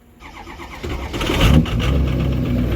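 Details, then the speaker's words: Diesel truck with VGT turbo: short crank catches quickly and settles into a steady, even idle with no hiss; starts much better than before, a clean, healthy start. "hell yeah she starts way better God I [ __ ] love vgt turbos"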